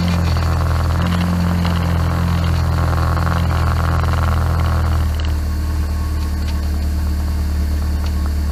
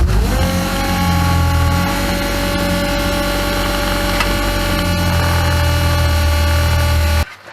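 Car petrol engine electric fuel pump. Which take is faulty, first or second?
second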